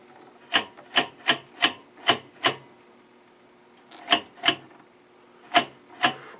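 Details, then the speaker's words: Stromberg Carlson 21TQ television during restoration, on its first full power-up: sharp, dry snaps in irregular bursts, about ten in seven seconds, over a faint steady whine; high-voltage arcing inside the high voltage box. "but there's something arcing like that inside the high voltage box that's it's causing this"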